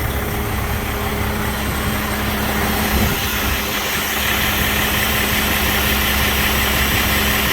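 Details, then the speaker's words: 2007 Freightliner with Detroit Series 60 14L diesel, over a year after a backyard rebuild, EGR still fitted, aftermarket turbo: deep steady idle with even low drone and faint fan whir, no knocks or misses; runs good. "I mean, it runs good."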